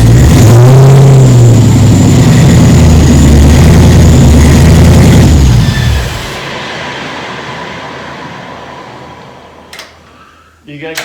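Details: 1936 Chevy sedan with rebuilt 6.0L LQ4 LS swap, first start, no coolant, on jacks: fires, revs strongly a few seconds, then drops to steady, even idle; running normally.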